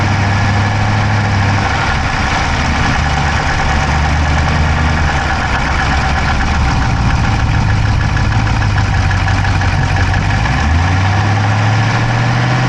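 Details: Dodge Charger Hemi V8 at idle, camera inside the engine bay on the driver's side: fast, fine clicking at a steady rate over a deep idle, pitch shifting slightly near the end; no smoke from the pipes, owner doubts a dropped valve, cause undetermined.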